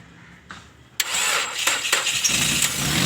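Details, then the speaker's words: Nissan Wingroad that had cranked but not started (no injector pulse or coil current) and had a long crank; after replacing the cam and crank sensor wiring: short crank, catches within a second, steady idle; normal start. "अब गाड़ी स्टार्ट भी हो रही है, बंद भी हो रही है, और ज़्यादा लंबी स्टार्टिंग भी नहीं है।"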